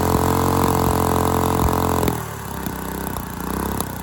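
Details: Dumpster go-kart engine with valve parts missing under the valve cover, run unloaded and hard to start. Rough running with uneven popping about four a second, then drops off and stumbles. Owner suspects wrong timing, probably valve lash too.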